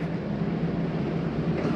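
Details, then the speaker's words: 2022 Bighorn 37DB fifth wheel leveling system raising stabilizing jacks, front dipping first: quiet steady low hydraulic pump hum without strain or grinding; jacks retracting normally. "see it's bringing up your stabilizing jacks on the leveling system sounds like all those are up"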